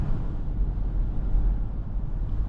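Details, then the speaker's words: 2006 Ford Explorer Eddie Bauer on test drive after replacing both rear hub bearing assemblies; steady low road rumble at cruise with no roaring or hum rising with speed, now quiet and healthy. "All right, moment of truth. Is it gonna make noise or what? Believe it or not, it is actually quiet."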